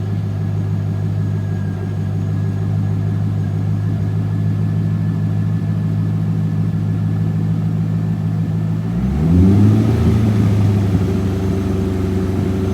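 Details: 2001 Chevrolet Corvette C5 Z06, about 30,000 miles, after used Magnaflow cat-back exhaust install, checked for leaks: deep even V8 burble at idle, then clean rev rising and settling, no puffing or ticking from an exhaust leak.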